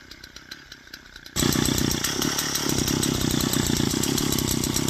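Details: Old Japanese 3-row rice-paddy weeder with Yamaha two-stroke engine on premix fuel, electric start: catches after about a second and settles into a quick, even idle with crisp regular firing; normal two-stroke idle.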